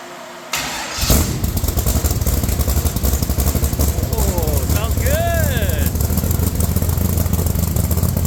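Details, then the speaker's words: Rock Bouncer during complete nut-and-bolt restoration, first start with newly finished exhaust with tips (Stingray exhaust); starter whirs, engine fires within a second into a deep, steady burbling idle, not too loud, sounds like a Corvette; healthy. "Hey, that sounds so good. Not too loud, but just loud enough. Sounds like a Corvette."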